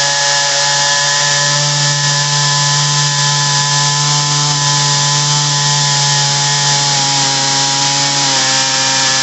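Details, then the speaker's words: Ryobi RY3714 chainsaw, carburetor screws suspected misadjusted by customer, before adjustment: steady high-pitched two-stroke buzz idling far too high; otherwise runs fine. "it runs fine i think the uh customer messed with it um idle is really high"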